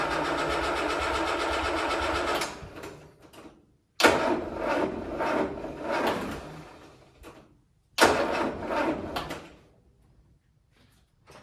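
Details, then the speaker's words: Land Rover Series 3, first start after a head gasket replacement and months without running: three short cranking bursts, each sagging and dying within a second or two; owner first suspects the starter, then a dead battery; weak cranking. "That is weird. Did you hear that? I think there's something wrong with my starter. That sounded weird. Yeah, dead battery, sorry guys."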